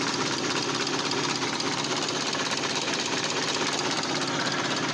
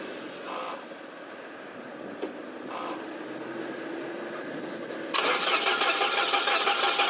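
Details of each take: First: SAAB 9000 turbo abandoned 5 years, first start on new battery and new spark plugs: uneven lumpy idle with shaky chattering beat around two per second, engine shaking and starting to die; rough running, owner suspects misfire, no smoke. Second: SAAB 9000 abandoned five years, new battery fitted, direct ignition cassette disconnected: steady starter whirr with even turning-over beat about three per second, never catching; cranks freely, drive belt spinning.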